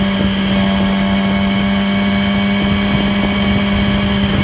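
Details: 2008 Yamaha R6 under riding with downshifts: steady high whirring whine above the engine note, most audible at 6-7k rpm cruise, likely present above and below; source unclear.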